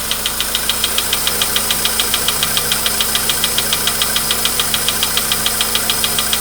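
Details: VW Polo Sedan, 99,329 km, cold start, 15°C shown; sharp very even ticking about three and a half per second over idle, anvil-like, worsening over time, disappears after about 5–6 minutes warming; engine knock, cause unconfirmed.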